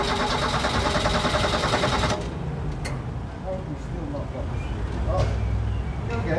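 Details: Dacia on a test drive: about two seconds of even starter churning at roughly three turns a second that never catches, then quiet. A recurring non-start, later traced to a loose earth.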